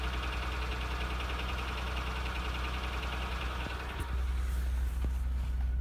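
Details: 2004 Honda Accord EX V6 that burned oil, cold startup: a loose, diesel-like knock at about three per second from severe engine wear and piston slap.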